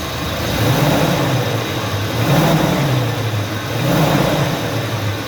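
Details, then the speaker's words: 2017 UAZ Patriot engine loaded against the handbrake: revs rise and fall with a harsh rattle over the drone, only under heavy load. Mechanic says it is definitely in the engine; cause unconfirmed. "вот именно под хороший нагрузкой в натяжку то ta ta ta ta ta ta ta ta у нас"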